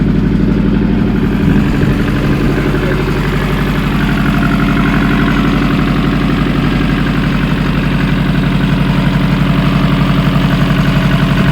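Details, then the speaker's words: Nissan Pulsar GTiR SR20DET (four-cylinder turbo) after fuel filter change, before checking ignition timing: starts first time and settles into a steady, even idle with a low smooth pulse, no stumbles or knocks; sounds better than before, normal idle. "I think that sounds better. It does sound better. It does sound better actually. It does sound better."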